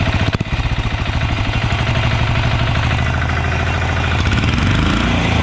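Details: Yağmur YET 300 single-cylinder tiller after repair, previously tipped over, then misfired, stalled and starter would not pull: thumps settle into a steady even beat, no missing or knocking; running cleanly.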